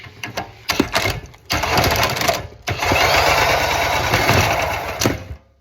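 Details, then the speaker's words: Go-kart engine with the choke and auxiliary drain removed, spun by a drill with carb cleaner sprayed in: it catches, runs roughly for a couple of seconds, then dies while the drill keeps spinning. "It started, and then it kind of died. And this drill was still spinning."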